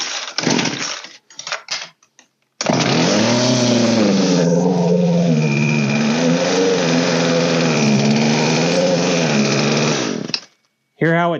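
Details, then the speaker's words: Old Poulan 3616 chainsaw after carb work, low screw 1.5 turns and high 1 turn open: fires and runs with wavering sagging revs for several seconds then dies right away; idle speed set too low and needs raising. "died right away that means our idle needs to be raised so we're going to fill up our idle in a little [Music] bit"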